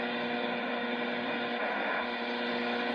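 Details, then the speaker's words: Zenith 12H092R tube FM radio after alignment and silver mica disease repair, low end of the FM band: constant buzzy hiss with steady tonal drone, no station audio; owner suspects radiation from his PC or a digital signal probably from a power supply. Buzzing interference on FM. "anyway when I say it's digital what I means it's picking up a digital signal probably from a you know a power supply I mean you know anything um can do that"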